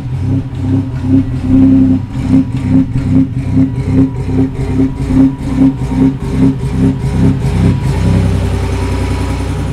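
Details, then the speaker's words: Buick not started in a long time, cold start: uneven loping pulses about two or three a second, clearing once the idle rises; a malfunction code was present and the owner plans to check fuel pressure. Cause unknown. "i haven't started the car in a long time and dude that thing was loping like it was a big block did you hear that geez"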